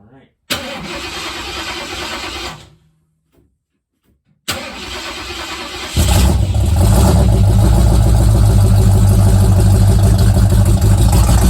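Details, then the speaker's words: Old Mustang project car, recently revived after 42 years, cold start: it cranks, catches and settles into a deep, even idle with a few throttle blips and no misses or knocks, sounding good for how cheap it was. "so so that sounds pretty good sounds good for how cheap that was"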